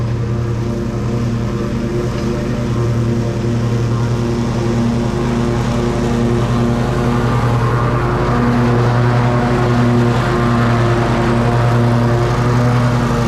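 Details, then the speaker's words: Exmark Pioneer zero-turn mower after service, oil change and reinstalled deck belt: steady even engine drone at constant speed, no squeal or rattle from deck drive, belt stayed on, pulleys quiet and not warm; normal running. "Well, everything seemed to work okay. That belt stayed on. Doesn't feel like it's warm or anything. And the pulleys were quiet and everything."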